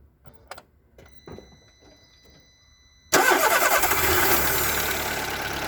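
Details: Seat Ibiza 1.4 BXW engine: faint clicks, then it fires and settles into a fast idle with a rapid, uneven tapping knock; piston slap suspected, not confirmed.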